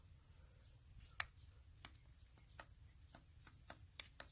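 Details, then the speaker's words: Nissan 4x4 slip-yoke driveshaft (QX4/Frontier/Pathfinder type): sharp irregular metallic clicks as the sealed universal joint is rocked, showing play between cap and center; worn U-joint to be replaced. "can also hear it clunking so it's most likely coming from these two"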